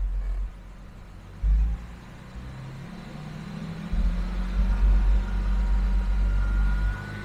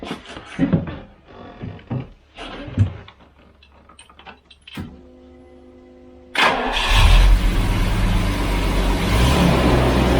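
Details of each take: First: Jaguar XJS V12, revs held: deep even note with slight rise and no misfire stumble; now running normally on all 12 cylinders. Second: sadly that was a bit of a false positive however there was good news just one minute um it ran on 11 again after a couple seconds so i did the whole thing one more time it ran on 11 again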